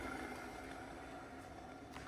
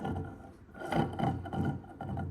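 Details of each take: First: Haas VF1 mill gearbox without new bearings or seals, spun by hand: very quiet, even whir with a faint hum, smooth and silent, unlike the gearbox that got new bearings and seals. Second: Haas VF1 mill gearbox, overhauled with all new bearings and seals, turned by hand gives a rough rasping grind in uneven surges, unlike a silent un-overhauled unit; cause a badly burred, damaged gear.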